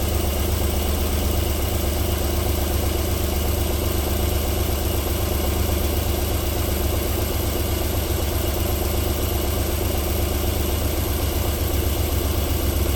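Steady, even low rumble at idle with no knocks or ticks; this cold V6 is running smoothly.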